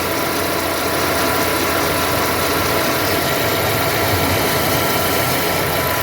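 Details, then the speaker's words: 2011 Ford Ka Zetec after replacing the water pump (the old one had a broken impeller and heavy play), coolant added and fan running: even, steady idle with a light hiss and no rattle; normal idle. "Fala galera bomba nova girando certinho agora tá"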